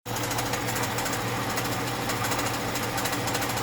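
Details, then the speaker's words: 1996 Holden VS Ecotec V6 at idle: steady, busy metallic rattle from the front of the engine; harmonic balancer suspected, being pulled for a spare. "this is the 1996 ves Ecotec v6 idling done out you can hear it but these they're funny done now place the key rattle"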